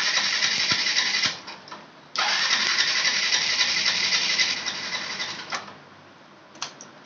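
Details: Yamaha FZ Fi BS6 starter cranks fast and regularly in bursts but never catches; the bike cranks fine yet won't start. Current was checked and found fine, so the fault lies elsewhere.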